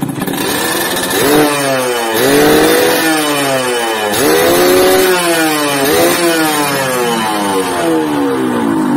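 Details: Yamaha RX-King two-stroke motorcycle (stated as 2006 and also as '94), previously sluggish from overly extreme porting, after the repair. Crisp repeated throttle blips, the pitch climbing quickly and falling back evenly each time; it revs freely with no stumble.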